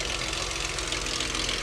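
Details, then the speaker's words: Likely a Dodge Charger 2.7L V6 at idle with AC off: fast, tinny valve train clatter, louder on one bank; engine sludge starving the valve train is suspected. "Y'all hear that? Uh-oh. Yeah, that sound like valve train. Ooh, boy. 27s not known for valve train ticking."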